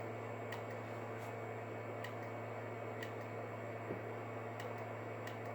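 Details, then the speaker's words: Galaxy 959B CB radio with 191 Super K base station killa amplifier (EC1/econ box) on bench, cigarette-lighter power: sharp irregular clicks over mains hum as a relay clicks in the box, but the radio won't key up; mic suspected. "i hear a relay clicking inside of the econ box but it's not it's not making the radio key up"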